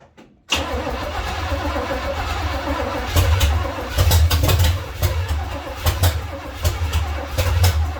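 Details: 1970 Chevy C10 with a small-block V8, just fitted with a new intake manifold and carburetor and fed gas poured into the bowl while setting timing: it fires up, then gives a lumpy, surging, sagging rumble. The owner thinks he flooded it.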